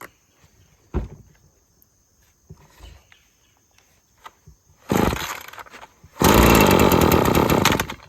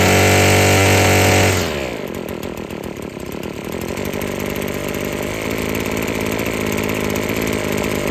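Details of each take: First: Husqvarna string trimmer with a sticking trigger that keeps cutting off, possibly old fuel: rough, bogging full-throttle bursts that never clear while turning long string, dying below half throttle; carburetor issues suspected. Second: Husqvarna string trimmer after freeing a sticking trigger and adjusting the out-of-tune carburetor (it kept cutting off): a loud burst drops into a smooth, high, steady two-stroke buzz with the string whistling, running clean and strong at high rpm.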